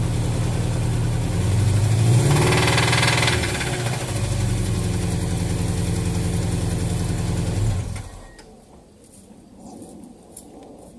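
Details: Subaru EJ18 petrol engine: rough, steady knocking at idle and through a quick rev, then shut off; about 2-3 mm of play in the connecting rod on the crank, rod knock.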